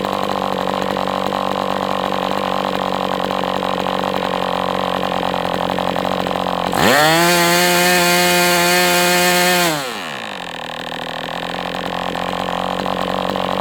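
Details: MDS 68 FS Pro four-stroke glow engine on break-in stand, after carb retuning (idle screw had been tampered with), idle bar plug removed; steady buzz rises to strong clean tone for three seconds then drops back, no sag; normal running.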